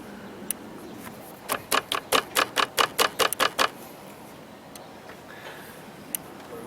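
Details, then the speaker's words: Jeep Grand Cherokee that cranks but won't start, with no fuel pump pressure. During the actuator test the fuel pump relay clicks about a dozen times, roughly five a second, but the test light stays off and there is no pump output. The TIPM is suspected. "So actuator test is on. You hear it clicking. But the test light isn't lighting, but you give it some time here."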